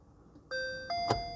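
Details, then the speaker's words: VW e-Up electric car started with a conventional key, turned and held with the foot on the brake: two clean chime tones, high then low, signal the car is on, in Park; a normal ignition-on chime. "When you hear the bonk, bing bong, release the key. And now the vehicle is on."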